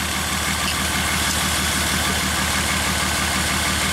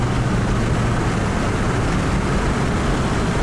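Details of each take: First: 2003 Honda Odyssey V6, earlier fuel injector replaced, owner felt shudders on a long trip, catalytic converter glowed red-hot: uneven loping idle, one coil giving no contribution on drop test; dead-cylinder misfire, faulty ignition coil. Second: 2003 Honda Odyssey V6 after a tune-up replacing counterfeit plugs, during a 0-to-60 run under hard acceleration: steady, even engine roar with no stumbles or missed beats, smooth strong power; healthy acceleration without misfire.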